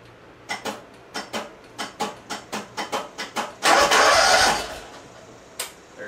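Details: John Deere 318 riding mower repowered with a Honda engine, starter solenoid on the starter: about a dozen sharp clicks, roughly four a second, with no crank, then one short crank; weak 12 V solenoid feed and burnt contacts.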